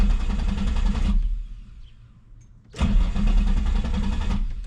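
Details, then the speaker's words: 2003 Nissan 350Z crank-no-start after running rough, battery on tender, scan tool showing 200 rpm while cranking (crank sensor reading), cam and crank sensors later replaced, ultimately failing in-tank fuel pump: two bursts of steady free cranking, never catching. "Okay, aside from the obvious that the car didn't start, I could see my base fuel schedule changed, but I could see my engine speed, my RPM actually went up to 200."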